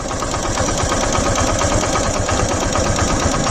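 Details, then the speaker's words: Suzuki GS150R single-cylinder at idle, 204,337 km, still with zero vibration. A fast, loose metallic chatter over a steady idle from a worn timing chain that is due for replacement. "വണ്ടി ഇപ്പോൾ പ്രശ്നം എന്താണെന്ന് വെച്ചാൽ നമുക്ക് timing chain മാറാറായിട്ടുണ്ട്. അതിൻ്റെ നോയ്സും കാര്യങ്ങളൊക്കെ വന്നു തുടങ്ങിയിട്ടുണ്ട്."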